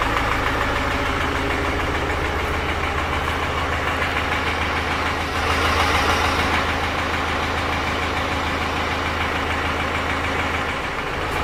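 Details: 2018 BMW X1 xDrive18d F48 diesel, 80,000 km, idling with a sudden-onset fast metallic knock, about three a second, from the engine bottom end; diagnosed as a broken piston, cause unknown.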